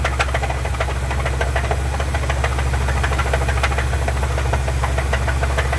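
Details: Truck engine at idle: deep, steady knock about twice a second; owner suspects rod knock, thinks something broke in the motor. Not confirmed.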